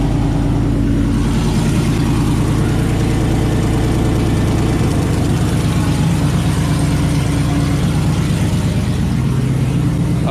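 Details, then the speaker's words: 2018 GMC Sierra 6.2L V8 cold start after Kooks long-tube header and off-road Y-pipe install, exhaust cutout open (louder than through muffler), no air filter fitted: loud, deep, even burble at fast cold idle, no knocks or ticks; normal. "so i guess it's time for a cold start uh just keep in mind i did not put on my uh cut out as you can see it's it's open so this is gonna be louder than it would be with the club with the cutout closed which will go through the muffler"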